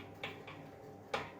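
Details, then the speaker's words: EliteWheels Drive 50D carbon road wheel, new and spun slowly by hand: spins freely but gives a few dull clunks, roughly one per turn, from the hub. Ceramic bearing loose in the hub's bearing seat. "so it still spins freely but you can hear that a clunking it almost feels like the bearing is just loose and kind of clunking around inside the hub"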